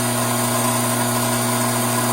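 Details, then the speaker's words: Hydraulic pump cavitating from a deliberate inlet restriction: inlet vacuum rose from 3 to almost 16 inHg, system pressure fell from about 310 to just over 200 psi, fluid warming from 87 toward 100 °F; steady hum with a harsh, agitated hiss as vapor cavities implode on the discharge side. "Take note of the change in sound that the pump is now making. This agitated sound is created by those now vapor-filled cavities making their way to the discharge side of the pump, forced to implode on their way out."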